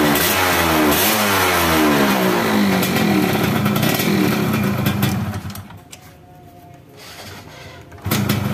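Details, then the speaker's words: Yamaha F1ZR two-stroke that stuttered (brebet) under throttle and kicked back on the kickstarter; owner suspected the CDI. After fitting an original Yamaha CDI, the revs climb cleanly in pitch and drop back with no stumble or popping. The stutter is fixed. "di gas itu terakhirnya nggak Brebes ya nggak kayak begem nggak kayak terbatas gitu ya ini Los"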